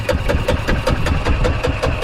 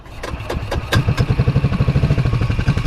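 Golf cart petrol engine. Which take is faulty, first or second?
second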